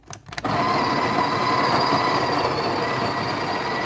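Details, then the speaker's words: Breville Barista Express built-in grinder, about five years of use: a few clicks, then a steady, strained, fairly low grinding drone; weak, tired grinder motor, grind amount now set at 6 o'clock vs 3–4 before. "he doesn't have the power very tired son"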